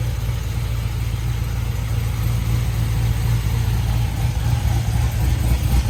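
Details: C7 Corvette Z06 V8 after Hennessey 850HP install with new heads, cam, exhaust and catch can, first start: deep idle with choppy lope, three or four pulses a second, holding steady; big-cam idle.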